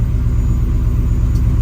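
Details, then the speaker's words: 1971 Ford F100 XLT Ranger with 6R80 transmission, after torque converter repair, cold engine at about 35°F warming up, good oil pressure: low, even idle rumble, no knocks or ticks; purring smoothly. "But man, this is purring like a kitten. Let's just pull these lights on. Everything's sounding good."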